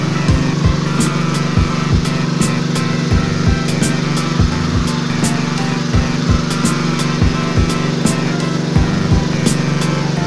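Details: Generator that would not start or stay running, after draining very thick black oil that was below the dipstick mark, refilling with oil and cleaning: steady, even engine drone at constant speed without hunting, music in background; runs normally.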